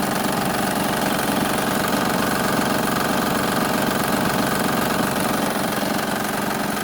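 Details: 2007 Honda Pilot, timing belt cover off, noise complaint: steady idle with fast, fairly even ticking about four per second; belt very loose, tensioner suspected; water pump also considered, source unconfirmed.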